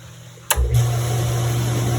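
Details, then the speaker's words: 2009 Sundance Maxxus spa jet pump after the fuse was replaced with a matching 20 amp fuse; it had hummed without starting before: pump kicks in cleanly and runs with a steady, even low hum, turning on and off normally. "And all those are turning on and off like they should."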